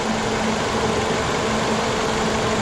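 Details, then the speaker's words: Citroen C4 hatch with an engine noise, running with the valve cover breather blocked by a plastic bag: smooth, even idle with no whistle or hiss. This confirms the valve cover as the fault; normal idle. "E aí e como a mágica o barulho sumiu totalmente a pena motor ele já começa a trabalhar é normal cinema trepidação"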